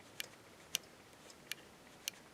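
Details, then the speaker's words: Ratzuki Pro Street drag bike, restored and not yet started: faint sharp ticks about every half second, the roller micro switch on a custom throttle ramp engaging at half throttle to activate the nitrous; normal. "barely hear it okay at half throttle that's when i activate my nitrous that's when i switch it this way before i get to the line"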